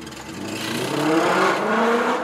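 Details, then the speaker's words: Citroen 2CV driving after rubber was added to the passenger window frame: engine and road drone rising and falling with speed, with no high whistle; the window whistle is cured. "Sounds good. So that was a good little job done, and it's the sort of job that you wouldn't have to do on a new car. I mean, sticking bits of rubber in a window frame to stop the whistling."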